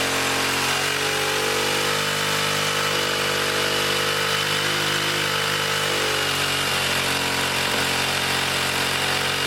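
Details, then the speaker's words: 1959 military single-cylinder engine fed from fuel line in a gas can, carburetor high-speed circuit sprayed out and slightly flooded: flat-out buzzing at a high, unsteady speed well above normal, overspeeding as the governor runs wild. "But that governor was running wild. And that's through here. It was revving up pretty high."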